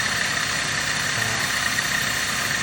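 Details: 2009 Dodge Caliber after repair, with the rattle noise now gone (work involved the compressor). Even, quiet idle with a steady faint hiss and no knocks or rattles.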